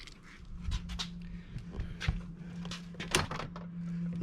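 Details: L405 Range Rover jammed passenger door: sharp irregular lock clicks over a low steady hum when trying to open, but the latch never releases; striker plate later cut off to open it.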